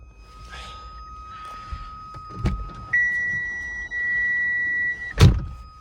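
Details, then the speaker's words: Mk3 Ford Fiesta with lights on, doors shut, after replacing door switch: steady electric whine stepping up in pitch and back; buzz persists only with lights on, so fault lies elsewhere, not the door switch. "hopefully it'll stop making that horrible buzzing noise when I'm driving with the lights on."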